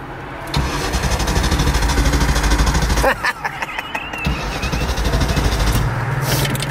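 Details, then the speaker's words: 1995 Mustang GT revived after sitting for years: it catches, runs lumpy and stumbling, stalls after about three seconds, then restarts rough on a test drive. It is burning very rich, and the owner blames the 87-octane fuel. Engine running rich. "it's it's burning real Rich dud you better get it back dude it's cuz I put 87 in it man this is high performance doesn't want to run"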